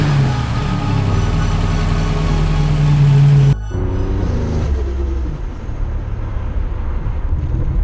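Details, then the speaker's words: Car with a low-RPM, light-load miss; a new coil pack and a replacement coil matching the original did not cure it: engine drones, drops out about halfway, returns uneven and wavering; cutting out and surging. Owner suspects bad cam sensor. "Still cutting out. Did you hear it when I was right there? It cut out here. It's like surging right now."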